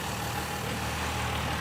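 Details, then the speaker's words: Roadkill Ramp Truck hot rod diesel, revived after 3 years, idling at 400 rpm with 80 lb oil pressure, 13 and 12 volts with the alternator working, half a tank of fuel. Slow, even low rumble with no knocks or misses; healthy idle. "It's got 80 lbs of oil pressure. It's got 13 and 12 volts, so the alternator's working. Half a tank of fuel. Says it's idling at 400 RPM."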